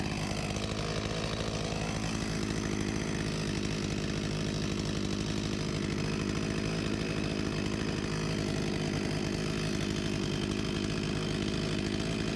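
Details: Husqvarna 254 G chainsaw, 35 years old (1989), after carb refurbishment and fuel line replacement and idle set to 3000 rpm: shrill, even scream at 13,000+ rpm no load, no surging; healthy.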